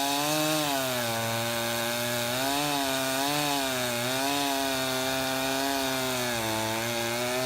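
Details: Husqvarna 353 two-stroke chainsaw, restored with gas line and chain drive work, carburetor just adjusted, cutting wood: high whine dips and recovers as chain bites, pulling cleanly; runs healthy, chain grabby.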